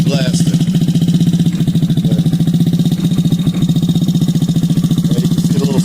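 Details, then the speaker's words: Yamaha Zuma scooter with swapped GY6 engine, new stator, fuel pump from a Magdal Mad Dog: loud, steady fast single-cylinder putter, even beats, no misses or knocks; slight exhaust smoke from PB Blaster; running healthy. "this sucker is loud got a little bit of smoke coming out of the exhaust pipe that's from that pb blaster"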